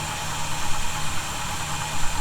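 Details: 1971 Chevy C10, cold idle after snugging up loose bolts suspected of a noise: steady low even rumble, no whistle or hiss; owner will keep monitoring but definitely doesn't hear it now; normal idle.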